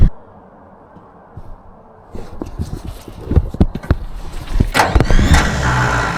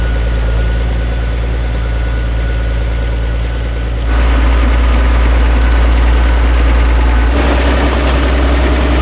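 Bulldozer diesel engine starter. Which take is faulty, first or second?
first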